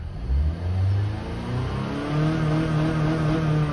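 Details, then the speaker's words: 2015 Honda Fit after its 90k service, revved in park with no load: revs climb freely, then hold and bounce at a fixed ceiling around 4,500 rpm, where VTEC kicks in. This is the normal no-load rev limiter cutoff. "Yeah, so that's the that's a rev limiter. The car doesn't let you rev past that spot because that's where the VTEC is in, and it's like, since it's not under load or anything, it's like, nope, we won't let you do it."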